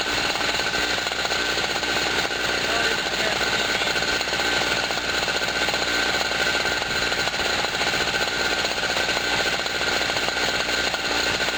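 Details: Generator after its first cold start of 2016, having sat about a year, loaded with a 40 W light bulb and a noisy air pump: a steady, even buzzing drone with no surging, misfires or hunting, compressor rattling alongside. Normal running under load.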